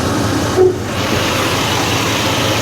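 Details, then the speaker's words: 1969 Chevrolet Impala, factory 427 big-block V8, sat since 2004, with professionally rebuilt carburetor and new hoses, belts and water pump: deep, even, steady idle with no misses, knocks or hunting; just humming. "here she's just humming"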